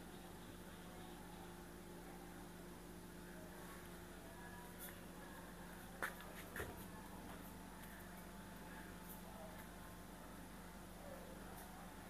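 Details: LG Inverter washing machine after repairing a dL error where it would not spin. A quiet, steady low hum with an even tone and no knocks or scraping as the drum turns: normal spin after repair.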